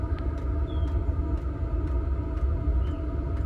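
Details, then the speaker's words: Chinese diesel heater (eBay) in a van, mic at the exhaust, Chinese exhaust not used: soft, steady low rumble with a faint regular tick, nothing harsh or tinny; exhaust quiet and healthy. "which I find when you're in the cabin just tear it muffled muffled and then the exhaust oh that okay and that's the exhaust just there"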